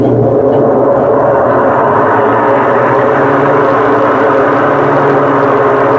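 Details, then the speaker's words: BWK12 washing machine during spin: loud steady droning roar with hollow hum, like a helicopter; drum bearing failed and ran dry after the seal above it failed and let water drip in. "Aí quando o retentor estoura, começa a pingar a água no rolamento. E aí acontece isso. O rolamento estoura, né?"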